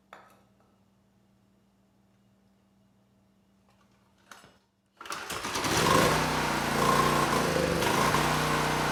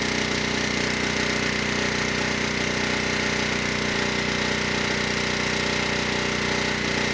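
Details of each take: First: ETQ 2700-watt generator with brushless powerhead, not run in years, started with starting fluid: catches and runs but speed sags and surges; needed choke as far as it would go to keep running, choke off after about 30 seconds, speed still unsteady; unsteady idle from dirty carburetor. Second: ETQ 2700-watt generator with brushless powerhead, found not running after years in storage: steady, even fixed-pitch drone with no hunting or knocking at 100 watts over rated load, near 61 Hz and 118 volts; healthy under full load.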